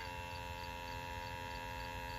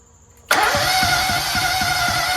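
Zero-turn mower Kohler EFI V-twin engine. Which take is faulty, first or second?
second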